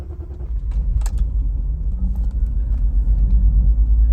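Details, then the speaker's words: BMW E46 with turbo, overheated badly after long idling and never ran well since: low uneven rumble with irregular stumbles about three a second, rough running and cutting out; owner suspects a failing fuel pump, possibly engine-related, unconfirmed. "right yeah it's cutting out that was actually the best at started since I've had this car because the fuel pump I think is just going"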